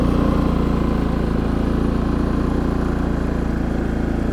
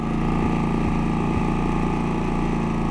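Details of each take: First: Harbor Freight Predator 3500 inverter generator after an oil change and a new NGK spark plug replacing the factory plug (15 hours, gap too small): runs smooth, even and quiet with a steady low putter, same as before. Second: Harbor Freight Predator 3500 inverter generator, about 15 hours of use, eco switch off at full throttle: runs steadily then stumbles three times in a row. Recurring slight misfire persisting with a good spark plug.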